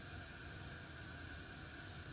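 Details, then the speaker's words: Glacier Bay dual flush toilet refilling after a flush with a new Fluidmaster 400AH fill valve, replaced because it ran constantly: a soft, steady hiss with a faint high tone and no chatter or hammering, quieter than before. Normal refill. "Let's do another toothbrush. And let's see what we have. That is quieter for sure."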